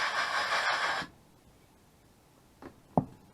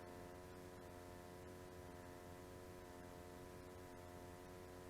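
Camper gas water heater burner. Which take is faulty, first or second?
first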